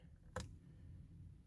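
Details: Alfa Romeo with no reaction to starting, foot on brake, after failing to restart from auto stop-start at red lights, engine light blinking: two faint dry clicks about a second apart, never turns over. Failed starter relay, part 6106094AA.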